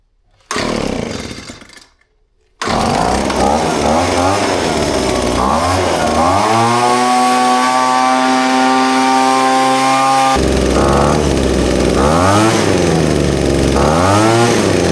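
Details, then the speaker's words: Leaf blower two-stroke after a carburettor change: revs climb cleanly to a steady high drone and drop back with no stumble; the earlier bogging down is gone, runs healthy. "That's better, you can hear the way the bogging down's gone now."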